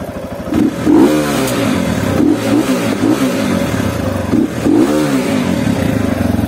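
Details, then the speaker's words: CSC RX3 single-cylinder after the first valve adjustment, blipped up and down several times, revs climbing cleanly and settling to an even idle; "she sure does sound nice now", normal revving. "she sure does sound nice now"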